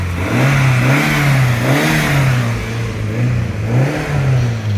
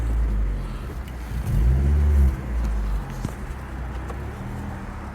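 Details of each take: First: Rover 820 Turbo Vitesse coupe, 16-valve 2.0-litre turbo, started on a new battery after about two years parked. Free revs rise and fall smoothly a few times with a clean, even note and no knocks or rattles. Normal free revving. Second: Rover 820 Turbo Vitesse coupe, manual, started after sitting about two years on a new battery, revved in the car park: deep, raspy, sporty rumble growing harsher with revs, throaty chuff off load; exhaust is blowing somewhere, an exhaust leak.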